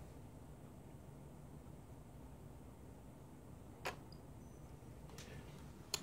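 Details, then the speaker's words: Dell Vostro 2520 laptop stuck power-cycling without reaching BIOS or POST after a forced power-off: quiet hum with a few sharp isolated clicks, possibly DVD drive or hard drive; cause unknown. "then the ways you hear clicking if you hear it I don't know it's the hard drive being checked"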